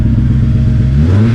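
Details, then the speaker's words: 2006 Honda S2000 AP2 four-cylinder at idle after repairs: low throbbing idle with an uneven beat that stumbles about a second in; still misfiring, owner suspects an injector, unconfirmed. "Nope, man. Little better, but still got that miss. You can hear it."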